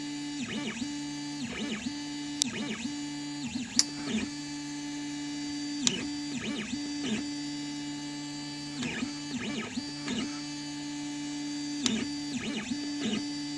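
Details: Prusa i3v 3D printer while printing: steppers whir with light clicks and squeaks on direction changes and an intermittent creak; owner suspects the extruder, filament snapped below hobbed bolt three times, tensioner loosened since.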